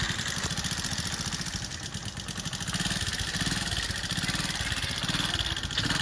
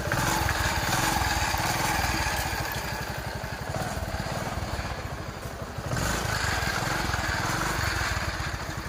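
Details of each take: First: TVS XL 100 Heavy Duty single-cylinder at idle: fast light ticking about three or four per second over a steady idle; tappet noise from excessive valve clearance, later checked against timing chain with the head cover off. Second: TVS XL 100 Heavy Duty single-cylinder engine after valve tappet adjustment and tappet cover refitted: steady, even idle putter with no ticking from the valve cover; tappet noise problem solved, engine sounds healthy.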